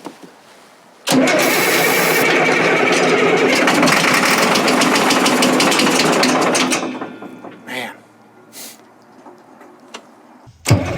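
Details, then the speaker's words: Caterpillar 977L track loader: starter grinds steadily about five seconds without firing; no fuel seen, fuel delivery problem; cranking no-start. "are you seeing anything yet no no fuel no no you got it off yeah"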